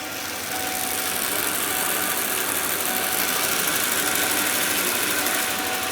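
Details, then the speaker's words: 1994 Ford E-150 351 V8 at idle after replacing a cracked fuel vapor hose; airy hissing flutter about four times a second as the PCV valve chatters with unsteady vacuum. Van stutters and stalls, worse under load; owner suspects air-fuel-spark issue. "you can hear the PCV valve moving a lot"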